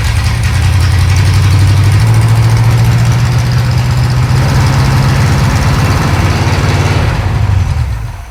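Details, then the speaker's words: 1937 Pontiac junkyard-rescue V8 after advancing ignition timing from about 10 degrees: deep, strong, steady, even rumble easing off at the end; engine now running properly. "Okay, runs good now."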